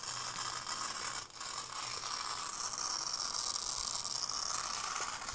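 A dry, fast ratcheting tick with a faint high whir runs steadily while the unit stays dead; the source inside is unknown.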